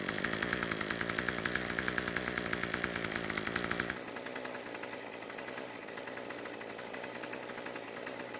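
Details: Craftsman two-stroke string trimmer, previously stalling at idle, after the L screw was turned a quarter turn counterclockwise to richen idle fuel: crisp steady buzz settling to a soft even idle without stalling. It now starts and runs fine; the head kept spinning at idle for a while.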